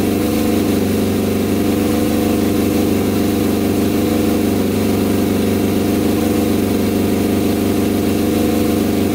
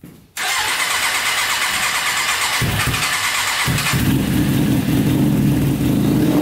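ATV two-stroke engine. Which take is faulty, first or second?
second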